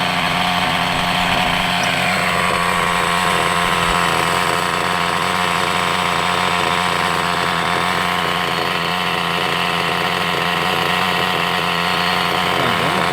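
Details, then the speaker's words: Hobao Hyper 7 nitro RC engine, sat over two years, running after nitro poured into carburettor throat: high raspy steady buzz without sputtering, sounds healthy; tick-over (idle) screw needs adjusting as slide closes fully. "that sounds absolutely wonderful. Actually, that sounds brilliant. The tick over screw needs to go in."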